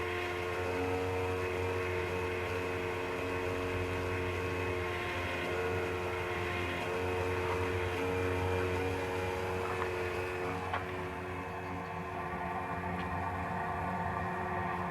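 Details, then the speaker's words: Motorhome (converted bus) heating stove starting up, not yet at operating mode: steady droning hum with ringing tones shifting after ten seconds, a combustion resonance coming mainly from the stove; starts without smoke, resonance expected to disappear. "heat when starting up; it also hasn’t reached the mode yet; it sets"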